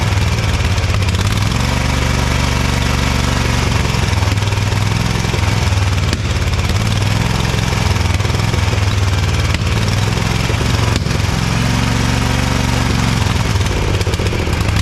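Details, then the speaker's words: Ariens EverRide Hornet zero-turn mower, 25 hp Briggs & Stratton twin, sat outside a year, running loud with a lumpy beat that surges and sags and backfires; one cylinder misfiring from a plug gap nearly bridged with carbon, possible mouse-chewed plug wire. "I'd say that one wasn't firing too good the Gap is about closed up with carbon so that would be part of our issue"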